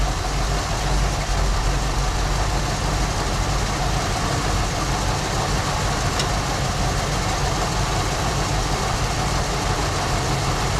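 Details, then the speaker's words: 1974 Ford Bronco V8 just after first start in over 16 years, following carburetor kit, plugs, wires, cap/rotor and fuel system work; slightly raised idle, smooth and even with no miss or knock; runs great. "Outstanding, guys. Runs great."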